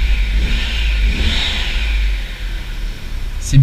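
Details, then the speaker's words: Audi TT MK1 with the faulty ignition coil identified: revs rise and settle cleanly, turbo sounds rounder and cleaner, no more stuttering climbing through the revs, pulling linearly; a remaining whistle possibly from the disturbed boost system. "tu entends le turbo plus rond ouais plus propre et là il y a pas de sacade quand je monte dans les tour avant elle saccadait tu sais elle avait du mal et là vraiment c'est plus linéaire"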